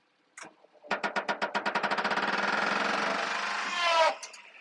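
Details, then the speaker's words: 1997 Daihatsu Hijet dump mini truck, belt-driven hydraulic dump raising: regular creak about four times a second from a dry bed hinge pivot that needs oil. "that is the hinge back there needs a little oil where it articulates that's just the sound of the creaking"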